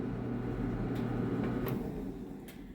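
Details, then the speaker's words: Clothes dryer that died mid cycle with a loud bang: motor hums with light clicks then winds down while the drum does not spin; drive belt found exploded. Broken drive belt. "I got a feeling the motor's trying to spin like I can hear the motor turning on I have a feeling it's a belt"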